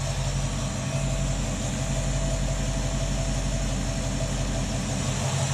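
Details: 1967 Ford Mustang V8 after a Holley 2300 two-barrel carburetor rebuild, warmed up off choke, idle tuned to peak vacuum: steady, even low rumble with no misses or hunting at about 700 rpm; normal idle.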